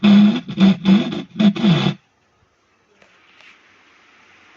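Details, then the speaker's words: Cemex 9898 home theatre after power repair, sound test on treble/upper speaker: harsh scratchy crackling bursts with rough buzz in every mode, bass fine; distorted output, cause not yet found, speaker to be checked. "ऊपर तो इसमें ऊपर तो बज रहा है दोस्तों, लेकिन खर खर खर की आवाज़ आ रही है।"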